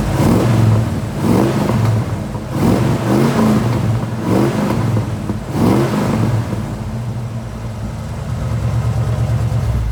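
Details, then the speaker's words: Frame-off restored 1977 Ford Bronco with 302 V8, 3-speed manual and about 41,260 original miles: smooth revving surges roughly every 1.5 seconds, then settling to an even idle. Runs clean and healthy, normal idle and rev. "So it's a really nice, quiet truck to drive in."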